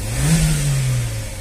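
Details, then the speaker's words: Car engine revving, clean rise and fall, smooth deep note with no tapping or rattles; engine healthy, but the rusted cooling system won't circulate water because the water pump impeller is corroded; thermostat housing is fine. "por isso que a gente sempre abaixa ó o motorzinho o motorzinho tá filezinho hein"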